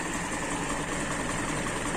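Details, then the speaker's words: Toyota Kijang Super engine after a wash, following a 1000+ km trip: steady even idle, no misses, knocks or hunting, with constant hiss of the radiator fan and air; engine normal. "tidak ada kendala mesin normal saja ini kena hembusan kipas radiator"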